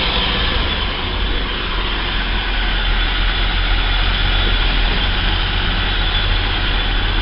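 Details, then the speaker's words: Engine just after throttle body and idle speed control valve plunger cleaning: settles to steady, even idle, no dip after a throttle blip, slightly fast because the ECU still treats it as cold; idle control working properly. "so everything's working as it should it's still idling slightly higher than it should because it's still effectively a cold engine"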